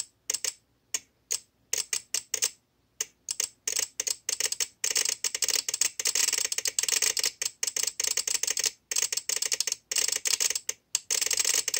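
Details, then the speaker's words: VXT-24 steam boiler water feeder, about two years old, water dripped on manual feed switch to simulate leak: rapid irregular dry clicking in bursts with short gaps; shorted switch chatters the relay, opening the valve and flooding the boiler. "so that's sending power to these leads here which is then causing the valve to open up and um flood the boiler"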